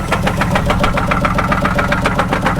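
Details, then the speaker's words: Sharp even knock about eight per second at idle on a 2004 Buick Park Avenue Ultra supercharged; sounds like bottom end, also has a visible misfire; cause not confirmed. "this sounds like it's coming from the bottom in"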